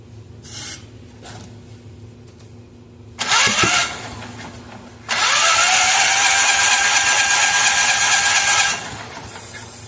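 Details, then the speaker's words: Miller Trailblazer welder engine, sat outdoors seven years, spark confirmed, ether used: starter cranks in two fast even bursts, never fires; no-start, intake valve found not working. "By virtue of putting my finger in the hole and cranking it, I discovered this side also has no compression."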